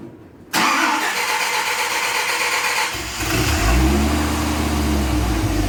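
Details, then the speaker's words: Dodge Viper with stock exhaust, before cutting it off: engine catches sharply, blips up with a raspy, hollow drone, then settles to a steady idle; healthy start, though the stock sound is disliked as vacuum-like. "As you can hear, sounds just absolutely horrible. Sounds like a Hoover vacuum with an exhaust tube leak or something."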